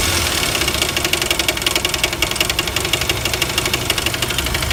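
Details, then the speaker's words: 1999 Jeep Wrangler TJ at warm idle after high-mileage oil treatment: an irregular light knock, about 90 a minute, from the front of the engine. Owner suspects the front bearing or timing chain slap, unconfirmed. "But the knock I'm hearing is way in the front end here, so I don't know if it's the front bearing or what it is"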